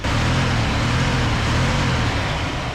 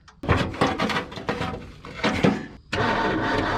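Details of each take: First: Circa-1978 Ford F250 crew cab, rescued with a formerly stuck, rusty engine, after new plug wires: steady even low idle rumble with no misses, knocks or ticks; possible small exhaust leak underneath; idling normally. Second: Roughly 1978 Ford F250 crew cab, rescued truck with cheap plug wires: repeated bursts of starter cranking with pauses, fuel now getting through but no catch. Crank with no start, traced to a plug wire found unplugged.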